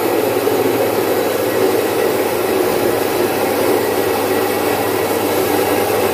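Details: Domestic stone flour mill, single-phase 1 HP, splitting about 4.5–5 kg of moong into dal in three to four minutes. Even, steady motor hum with a soft rushing grind of the stones, no knocks or wobble; normal operation.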